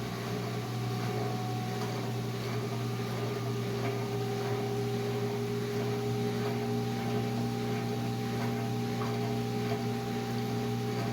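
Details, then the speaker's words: Whirlpool Duet front-loader washer after the fix for long drain, error codes and a locked door; the owner suspects overheating from long pump runs caused the error: drain pump gives a steady even hum, no rattling or grinding, water draining with force. Normal drain pump operation; problem appears solved. "I've got to say, it looks like the problem is solved, and I really won't know till I run this for several days, but I can tell with the force that the water is draining out, it's working much better."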